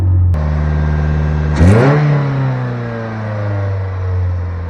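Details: 1985 Toyota MR2 after its cylinder misfire was fixed: steady idle, still slightly high, then a clean rev that climbs and settles with no hesitation, stumble or miss; engine now runs smoothly.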